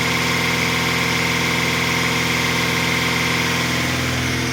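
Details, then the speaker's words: GAZelle van in fifth gear at 100 km/h on cruise: steady engine and road drone with no whine or growl from the gearbox, checked while tracing a suspected transmission hum. "Пятая передача. Скорость скорость 100 км/ч [музыка] на круизе. Звуков нету от коробки."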